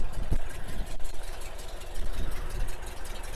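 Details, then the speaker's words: 1964 Porsche 356 SC air-cooled engine at idle: an even, deep low putter with a steady rhythm and no misses or knocks. Idles very nicely. "You can hear it idles very nicely."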